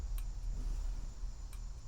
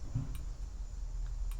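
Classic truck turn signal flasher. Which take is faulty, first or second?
first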